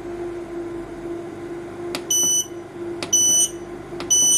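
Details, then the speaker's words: Growatt SPF 3000TL LVM 24 V inverter switching to AC charging (charger reading 30 A, combined solar/utility limit 50 A, battery about 27.1 V): three short shrill beeps about a second apart over a low steady hum from the buzzer. "you can hear that the inverter is now switching over and charging on the ac charger"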